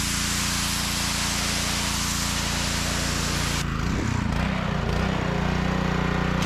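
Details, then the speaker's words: Honda GX200 engine on a DeWalt pressure washer, unrun for a couple of seasons and now fixed, throttle up: steady drone with water spray hissing and firming as pump pressure builds; holds an even beat, running like a champ. "but yeah that's why you'll have the throttle up on it but that runs like a champ"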